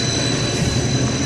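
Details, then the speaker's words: 60 HP hot closed-loop pump on a VFD, after swapping two three-phase wires to correct reverse rotation: even, steady hum with constant high whine, no surging or knocking; now turning the correct way, making pressure, running normally. "amazing how a pump works if it's rotating the proper direction"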